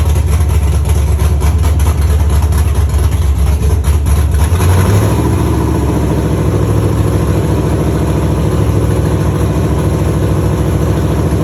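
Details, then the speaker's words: Dropped Chevy truck, cammed 5.3 V8 with Texas Speed 232/234 110 LSA cam, first run after fixing wiring grounds and connections: deep steady low rumble, even idle lope, no knocks or rattles; healthy. "it sounds good it sounds healthy"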